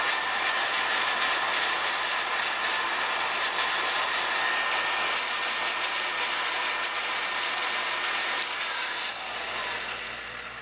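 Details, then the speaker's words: Miller Falls hand grinder motor: steady high-pitched whirr with gritty, crunchy edge throughout, sounding rough; owner suspects bearing or brushes. "that noise its bearing or brushes or something going on in there well even though the brushes sound kind of crunchy or something doesn't sound so great in there"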